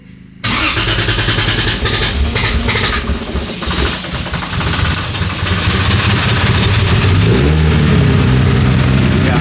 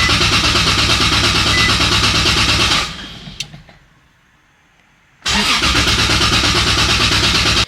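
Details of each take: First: 2JZ-swapped Nissan 370Z Nismo, the next morning: engine fires at once on its first start and settles into a steady, slightly rising idle with no misfire or knock; oil pressure sensor working. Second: 2JZ-swapped Nissan 370Z Nismo, first start attempt after fuel pump relay hookup: fast, even starter churning at about three beats a second, a pause, then more cranking, never catching; fuel pump relay seems to double-click, cause unconfirmed.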